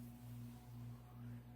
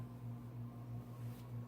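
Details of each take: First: Codep 48-inch cast-iron spinner ceiling fan on speed control at medium: low steady even hum with gentle regular cyclic pulse, no rattle or scrape; normal motor hum (earlier vibration came from canopy). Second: Codep 48-inch spinner ceiling fan, heavy cast iron motor, started on high via 4-speed Casablanca control: steady low electrical hum with soft pulsing whoosh, slow spin-up due to heavy motor.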